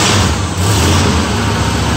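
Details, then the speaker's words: 1973 GMC motorhome with an Oldsmobile 455 V8, just after a cold start following a few weeks of sitting: loud, even, deep idle rumble with no stumble or miss. Normal idle; hardly an exhaust leak, no blue smoke. "That sounds awesome. I know 455s. Hardly an exhaust leak. No blues. Not a miss, a hiccup. Sounds like $1 million."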